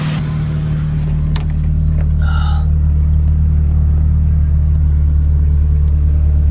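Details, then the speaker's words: Track car after a loose oil filter leaked oil from both seams and was retightened, restarted with good oil pressure, spilled oil burning off, no significant leaks: smooth even idle, steady low hum, no knocks or ticks, healthy. "No significant leaks. That's all just oil on the ground from earlier. Okay. Engine sounds okay."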